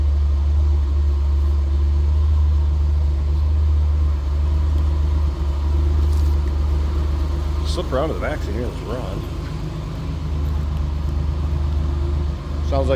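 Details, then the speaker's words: 1985 Jeep CJ-7 4x4 inline six converted to propane, 50,902 on odometer, in neutral, heard from the rear: deep, even, smooth idle with no knocks or misses; healthy running engine. "like you expect. Normal CJ-7 sound, inline 6."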